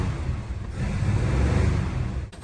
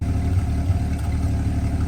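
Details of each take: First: 1949 Studebaker Champion flathead six on nasty old fuel with a squirt of fresh fuel down the carb, one cylinder totally dead: an uneven, lumpy rumble with constant throttle feathering, like a broken lawn mower. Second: 1949 Studebaker Champion six at idle after being revived from storage, carburetor suspected to need work: low, steady, even idle with no misses or knocks over a couple of seconds; running smoothly.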